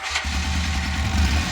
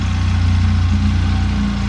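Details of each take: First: 2011 Polaris RZR 800 twin, rebuilt after engine issues, on its first heat cycle with coolant being burped: it catches and settles into a steady, even low idle with no knocks or ticks. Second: 2011 Polaris RZR 800 twin in neutral before a test drive: the idle starts higher, then sags into a lumpy, irregular beat as if about to stall; cause not confirmed.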